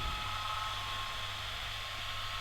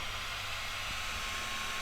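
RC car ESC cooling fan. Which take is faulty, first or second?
first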